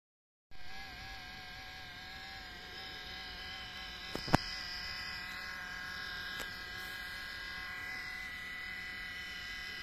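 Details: Nintendo Switch cooling fan after thousands of hours of demanding games: steady high buzzing whine, rough drone of a dry bearing; fan may struggle, stall or stop, risking overheating shutdown; fixed without replacing the fan using sewing machine oil.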